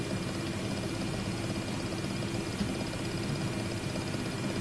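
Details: WD My Book 8TB hard drive (WDBFJK0080HBK-NA), third unit after two RMA replacements: at idle, a fast, even rattle like a pneumatic hammer over a steady hum, the same on all units.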